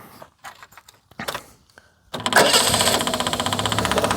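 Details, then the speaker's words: Leyland Princess Woodall Nicholson Kirklees limousine, transverse six-cylinder E-series HL with twin carburetors and 3-speed automatic, at startup. Ticking, then the engine fires with a fast, loud rattling tick over the idle, about four a second, from a very noisy fuel pump, not engine knock; it then quietens. "The noisiest fuel pump known to man, but there we go, that's quietened down. The knock isn't the engine itself."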